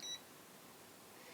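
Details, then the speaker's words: Borbede BD-99 20,000-count True RMS multimeter: one short high beep as it auto powers off, then quiet; normal auto power-off function working. "there's the auto power off okay so that all works"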